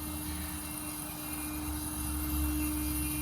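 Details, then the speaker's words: Weber Genesis II GS4 propane gas grill, burners lit with erratic flame and two won't light: regulator gives steady hum and buzzing vibration, internal rubber diaphragm flopping; suspected bad propane regulator. "Hear that? It's got quite a bit of vibration. They'll do that, but if they do it with an erratic flame, chances are it's the regulator. Hear that? There's like a little rubber thing in there flopping around to regulate the gas."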